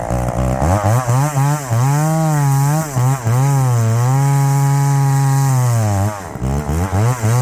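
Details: Chainsaw in hardwood: a strong, clean two-stroke howl that dips and recovers quickly as the chain bites, with crisp throttle response. The saw is running healthy.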